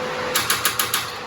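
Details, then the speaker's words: DF Goblin kit car after a timing chain guide replacement: five sharp metallic clacks at about six a second while cranking, and the engine never catches; it sounds like metal hitting, cause not yet found. "i'm gonna just check the card and make sure it starts again it didn't start it started going clap clap clap clap"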